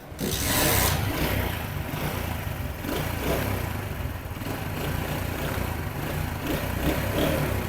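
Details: 70 cc Chinese motorcycle idling steadily with the clutch pulled in after the clutch bearing was replaced; the earlier clutch-press noise is gone, with no rattle or grinding.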